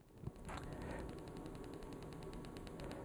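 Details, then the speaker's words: PEMF-100 high-intensity pulsed electromagnetic field therapy unit, mains powered with two rear fans: faint, quick, evenly spaced coil clicks over a quiet hum; click rate changes as the intensity is adjusted; normal coil discharge. "now what happens is that you turn up the volume the frequency act the frequency of discharges actually decreases so the frequency decreases will you go back up you can hear the clicking and the frequency actually increases significantly"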